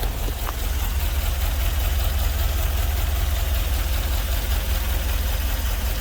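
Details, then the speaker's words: GMC Vandura van with LS V8 swap, first start: deep steady idle with a slightly uneven, lumpy pulse; a couple of the original injectors aren't firing, so another fuel rail is in hand and new injectors are ordered; rough idle, not yet tuned. "Well, it's alive. There's some fine tuning to do for sure. Yeah, a couple of the injectors aren't working, so I've got another fuel rail."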